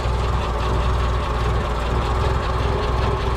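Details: Land Rover Ninety with a 2.25 petrol engine idles steadily with a rough, irregular knocking that can be felt through the distributor; owner suspects the distributor or its drive gear, cause unconfirmed.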